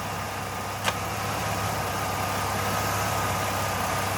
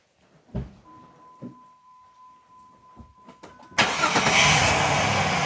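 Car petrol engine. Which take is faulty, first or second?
second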